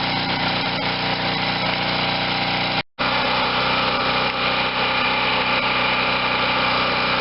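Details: Garage-sale Wen 4050 generator after new carburetor and speed adjustment to about 60.5–61 Hz; engine tight and little used, no electrical work needed; smooth, even drone at steady speed, no knocks, misses or surging, running healthy.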